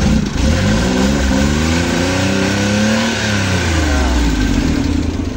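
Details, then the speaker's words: Rusco multicab that was hard starting in the morning, after replacing the whole carburetor: engine revs up and settles smoothly following the throttle, no popping or stumbling; normal revving. "Okay na. One click na yan. Bukas malalaman pa yan kung one click."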